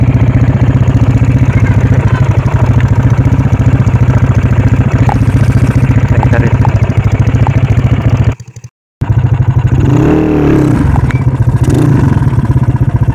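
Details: Single-cylinder motorcycle with a weak battery, unable to electric-start or kick-start, started by pulling a rope around the fan; steady thumping idle with a brief dropout near eight seconds, then runs evenly; normal running.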